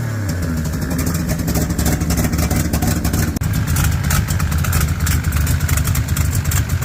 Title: still got exhaust leaks. dammit